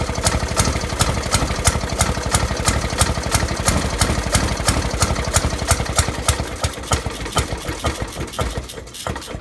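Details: 1916–1918 Maytag 1/2 hp engine, first run in about three years since restoration: sharp pops about three per second, slightly uneven spacing, slowing toward the end; runs but fires irregularly, timing suspected to be off.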